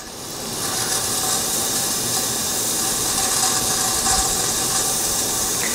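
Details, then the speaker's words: Leak-down test with the engine not running, on a late-70s (1977–79) 350 two-bolt main that sat 10 years, with transmission fluid added to seal the rings: steady airy hiss. This cylinder holds only 45% versus 72% on cylinder 2, leaking past the rings. "and the Rings being that we put transmission fluid and everything should seal up decently this one's only wanting to hold at 45. so leak Downs tests all over the place"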